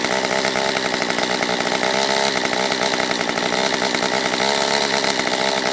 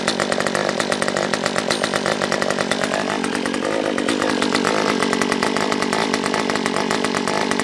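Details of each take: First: Stihl MS194T chainsaw after fuel-issue no-start fix, carb richened on low and high within limiters: high-pitched steady buzz at even speed, no bogging or surging, warmed up; normal running. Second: Stihl MS194T chainsaw brought in non-running with fuel issues, carb set full rich on low and high, off choke: high ragged buzz with uneven pops and a stumbling rev; owner hears air sucking, suspects carb; popping, poor running.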